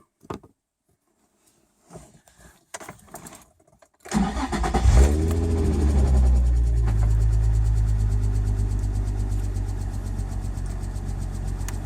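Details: 2004 Nissan 350z just after an oil change and oil pressure sensor replacement: quick crank, clean catch, brief flare settling into a smooth, even idle with no knocks or misfires; the oil pressure gauge no longer spikes past 120 and sits at about 50.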